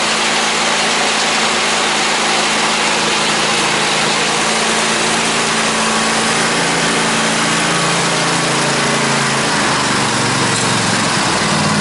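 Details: 2003 Craftsman lawn tractor (917.272040, Briggs & Stratton) with 1994 Craftsman snowblower attachment mounted: loud, steady small-engine drone holding even speed, no knocks or misses; running fine.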